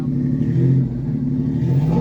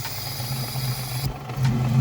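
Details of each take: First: $900 drift build car with new header and exhaust, no tune, idling stable around 1,000 rpm: three quick throttle blips climb cleanly and return to steady idle; loud but normal revving. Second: Budget drift car after new spark plugs, with misfire: a disconnected vacuum hose is uncovered by lifting a thumb. Idle carries a thin airy hiss, then the note shifts; vacuum leak from an open hose.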